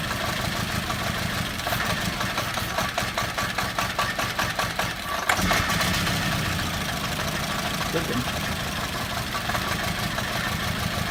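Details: VW Beetle 2.0 petrol at idle: lumpy, uneven running with irregular stumbles, intermittently running on as few as one cylinder. The misfire cause is not yet identified.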